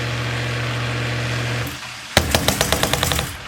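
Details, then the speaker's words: Sump pump with a roughly 10-year-old check valve, before replacement with a Zoeller Quiet Check Valve; steady pump drone cuts off, then a sharp bang and about eight fading knocks as the valve flutters shut; check valve flutter. "the thing is super noisy. It always has been super noisy, but now it seems to be like flapping almost every time it shuts off. It doesn't just like shut once, it's like fluttering for some reason."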